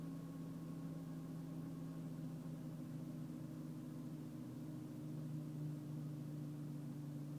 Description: Secondary air pump problem, rpm dropping, vibrations and shakings furing SAP is working